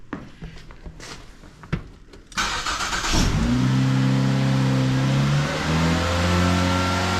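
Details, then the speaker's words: 2009 Ford Fusion 2.3L after replacing the cam position sensor and cylinder head temperature sensor and connector and clearing codes: brief crank, then it catches and idle speed surges and falls unevenly before settling; it runs smoother, but the cause of the flare is unclear. "definitely had a flare on that idle there not sure what that was about runs a lot smoother though"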